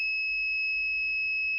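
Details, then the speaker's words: Redmi 9A dead phone: steady unbroken high meter tone on a CPU-corner capacitor of the 3.0 V USB line, beeping on both sides, a dead short to ground; repairer says the shorted CPU usually causes it, then blows the capacitor anyway. "दोनों side beep की आवाज़। अब हम इस cap को तोड़ के देखते हैं।"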